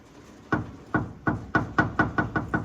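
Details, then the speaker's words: 1964 Plymouth Fury front suspension during disc brake swap: about nine sharp hollow knocks, quickening as the control arm is worked; control arm bushing blown out, letting metal clunk; new bushings needed. "I got this side pretty much caught up with the other side need to get some new control arm bushings though I don't know if you can see that but"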